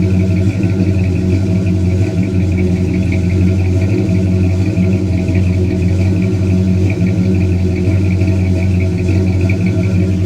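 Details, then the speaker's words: Older car listened to from behind at the exhaust at idle after a tap-start: deep, smooth, steady burble with no misses or ticking, a healthy-sounding engine; slight belt squeal noted earlier. "It's beautiful. It's beautiful. It's filthy, but man, what a beautiful old ride this is."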